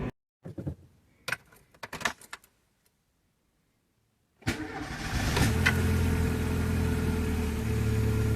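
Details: Corsa 1.0 16V that snapped its belt, after bearing replacement: engine catches cleanly after handling clatter and settles into a smooth, even idle with no knocking or bearing rumble; normal start and idle.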